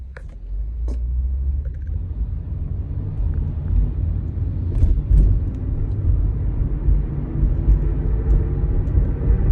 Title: I hear this noise when I accelerate on my 08 Hyundai Santa FE AWD. What could be the problem?